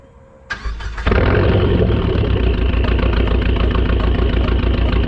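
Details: Dodge SRT-4 after fixing a crank-no-start caused by a broken cam gear key: brief cranking, then it catches within a second and settles into a steady, even idle; fuel pump reportedly failing and squeaking.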